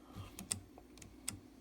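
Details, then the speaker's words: RC car steering servo, unpowered and rocked back and forth by hand while a dial indicator measures about 20 thousandths of an inch of play. A few light, dry clicks; worn gears with excessive backlash that caused the steering to shake. "It's about 20, because there it goes from 4 to 24. 20 thousandths of an inch."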